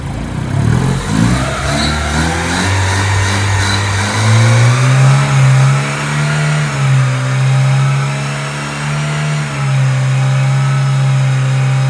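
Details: Honda Civic 1.4 iES (D14) after a full engine rebuild for oil burning, first start on new piston rings with residual diesel-wash smoke; smooth, even engine note held steady at gentle revs, no knocks or misses.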